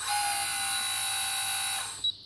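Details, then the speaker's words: RC WL870V wheel loader on a Futaba FX20 radio, hydraulic pump switched on via right-hand switch; thin, high, steady whine near 4 kHz, then cuts off; normal pump squeal for this model. "so that is for the pump and you can clearly hear the pump actually squeal when you're running running this particular pumps"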